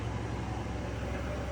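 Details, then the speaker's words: Hydro jetter clearing a clogged factory drain line about 5 feet in, at 4,000 psi and 6 gallons a minute after rodding failed: a steady low droning pump rumble with a faint rapid chatter, working at pressure. "There's a lot of cooking here. You hear the chatter. We're putting about"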